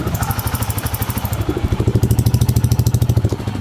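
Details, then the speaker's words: Bajaj Freedom 125 CNG motorcycle exhaust note at idle running on CNG: steady single-cylinder thump about three beats a second with a mild, even tick-tick; slight difference from petrol mode, normal CNG running. "மைல்டாக tick tick டிக்னு ஒரு sound ஒன்று கேட்குது."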